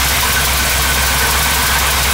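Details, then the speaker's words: 1979 Chevrolet Camaro V8 with headers, revived after years sitting, belt just tightened: loud steady idle with a sharp hissing tick over the rumble; owner suspects an exhaust leak along the headers, not confirmed. "I'm pretty sure there's an exhaust leak along these headers somewhere you can hear"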